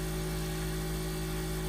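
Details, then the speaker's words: New BLACK+DECKER 8-slice extra-wide convection toaster oven set to 450: steady, loud low buzz with a hard vibrating hum; the oven buzzes and shakes from switch-on and doesn't quiet once at temperature, cause unknown. "It's extremely loud, buzzes and shakes as you turn the oven on. I thought this noise would go away when it reached its optimal temperature, but as you can hear, for most homes, it's probably too loud to operate."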